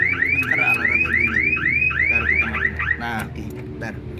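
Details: 2012 Suzuki APV Arena 1.5 GX manual, about 139,000 km: rising whoop siren repeating about three times a second then stopping; factory alarm set off when the remote was accidentally pressed.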